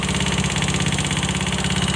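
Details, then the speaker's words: Honda Scoopy FI scooter idling with CVT roller housing removed: fast, even tapping tick persists, so the rough noise comes from the engine, not the CVT; cylinder block and head to be inspected, consistent with loose valve clearance. "Bunyinya masih ada ya teman-teman. Berarti bunyi kasarnya itu bukan dari bagian CVT-nya ya, melainkan dari bagian mesin."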